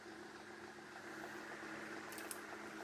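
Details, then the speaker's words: 1930s Murli electric fan after cleaning and restoration: steady, even hum with a soft airy rush and no ticking, rubbing or wobble; it runs well, though the rear bearing was earlier noted as worn. "c'est vraiment nickel fonctionne vraiment bien"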